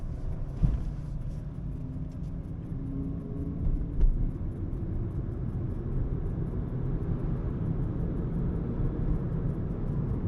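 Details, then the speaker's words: Renault Zoe second generation, about 104,800 km, test drive after traction motor repair: only low even road rumble, no whine or growl rising with speed; normal drive, no extraneous noise. "Никаких постронних шумов не слышно."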